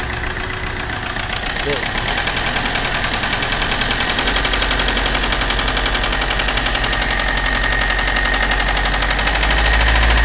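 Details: Maruti Suzuki Ritz engine at idle with a sharp, regular ticking knock about four times a second, steady throughout; cause not confirmed; engine knocking.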